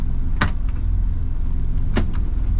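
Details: Renault R8/R10 automatic at 16,912 miles, at a slightly fast idle: two sharp single clunks about 1.5 s apart as the selector drops into gear. This is normal engagement, though the highway/city switch is faulty.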